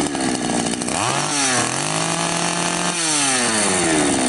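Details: Patriot 4518 two-stroke chainsaw after replacing the plastic oil pump drive and refitting the loose oil pump: revs up and drops back smoothly twice, crisp throttle response, steady idle between; healthy, chain oil now feeding well.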